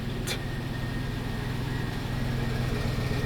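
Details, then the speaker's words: 1999 Cadillac Deville Northstar V8 after subframe swap, cold start on its warm-up loop: quiet, even low hum with a steady beat and no knocks or stumbles; normal cold-start idle. "Car is still nice. It's quiet, too, which I like. It's on its warm-up loop, but"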